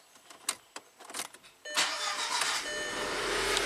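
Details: 2003 VW Passat 1.8 turbo manual, 150k miles, sat unused; scattered starter clicks and weak cranking, then engine catches; very reluctant to start, code P0341 camshaft position, cause not yet confirmed.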